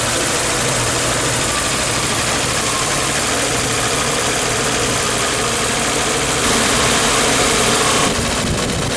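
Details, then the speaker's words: Volkswagen LT35 van after fuel pump change and ignition timing set to 7.5 degrees: fast, slightly uneven idle around 1,200 rpm that won't settle, cuts out if lower; rough high idle, carb already cleaned, cause still unknown. "Well, it idles about 1,200, and that's it. Any lower and it wants to cut out, so I've got to work out."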